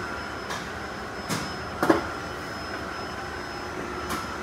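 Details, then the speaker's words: Vacuum loader for injection-molding plastic drying hoppers, switched on manually (remote dead): steady motor hum with thin high tone and sharp air-valve clicks as it cycles, gate opening to fill chamber with plastic; normal start-up. "basically you just flip the switch on and you'll see it's like going through a process it's got some uh some air valves in the top"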